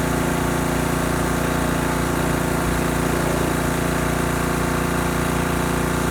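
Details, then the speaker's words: Husky pressure washer repowered with a new Honda GCV190 engine after the original blew from low oil. Engine runs steadily with an even hum and a faint extra whirr from the pump end; the pump sounds a bit noisy, cause unclear. "sounds like the pump is making a little bit of noise you guys will hear that when I turn it on"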